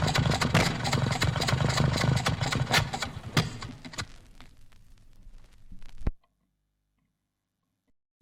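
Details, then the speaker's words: 1964 demonstration, four-cylinder engine: uneven running with sharp pops and coughs spitting back through the carburettor, mainly from too lean a mixture, before dying out; over-advanced ignition timing is another stated cause. "band seven splitting back through the carburetor in a four-cylinder engine due mainly to too much air in the air and petrol mixture which results in slow burning and in fact burning is still going on when the inlet valve opens again on the next cycle of operati"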